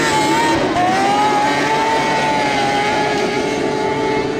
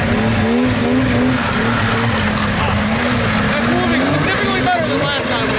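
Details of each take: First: Snowmobile with 700 two-stroke engine (XLT Indie special) on test run in snow: high, sustained scream holding nearly flat in pitch without dropping under load, little traction, spinning at insane RPM; over-revving, clutching needs setting up. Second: Two-stroke snowmobile (XLT Indie special) pulling away in poor snow, over 20 mph: raspy, throaty buzz rising and falling cleanly with throttle, no misfire or bogging; runs healthy.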